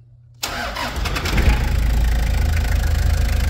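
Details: 1995 Toyota Hiace 4x4, 1KZ-TE turbodiesel, starting after timing belt and AC/alternator belt replacement: it fires almost instantly and builds into a smooth, even diesel clatter with no knocking or belt squeal, a healthy start.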